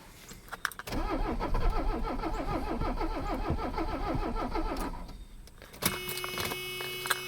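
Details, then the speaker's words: Mercedes 300CD diesel, long abandoned, owner suspects glow plugs not working and battery nearly drained: steady cranking about three and a half turns a second for four seconds without catching; crank no start. "trying i think i'm about killed my battery already nothing there"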